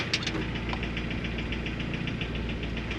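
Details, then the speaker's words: Boosted G23 engine at warm idle around 1,000 rpm after swapping 75a to 65a 1320 Performance mount inserts: sharp rapid slapping tick over low idle, barely audible at 1,500 rpm fast idle from the thermo valve; cause unconfirmed. "it would have been all right not slapping noise you could hardly hear it I mean you heard it earlier but now the RPM is like 1,000 or"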